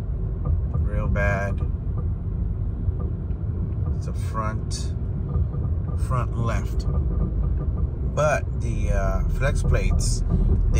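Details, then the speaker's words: 2013 Mercedes C250 with check engine light on, on the road: short high chirping squeaks come and go every second or two over road rumble, heard from the centre console; worn front driveshaft flex disc. "so we're in the 2013 C250 bz check engine lights on 1,000 miles hear the squeaking"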